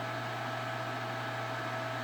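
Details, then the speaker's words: PS3 after a paid reball repair, sitting at the main menu: loud steady rushing whir with a constant hum, the fan stepping up through speed notches then staying at high speed for hours without ever dropping. "I left it on for about three hours like during the one test and it never went up and fan speed but it also never went down"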